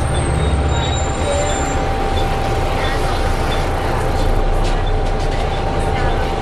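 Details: Arriva Yorkshire Alexander ALX400 bus 665 (W665 CWX), on board service 410 Leeds to Stourton: steady high-pitched howl over low diesel drone and road rumble while cruising; strange howling noise, source unidentified.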